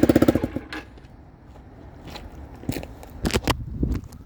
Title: cbr exhaust leak.